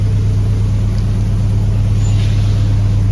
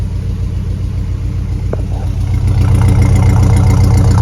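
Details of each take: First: Jeep Grand Wagoneer with Hemi V8 swap after replacing IAT, MAP, EGR valve and coolant temp sensor and further troubleshooting; fires faster without stumbling, deep steady burble, some exhaust leaks audible: smooth normal idle. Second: Jeep Grand Wagoneer with Hemi V8 swap, just started, fired quickly, runs smooth: deep idle with fast even puffing tick from exhaust leaks; exhaust louder, residue expected to burn off.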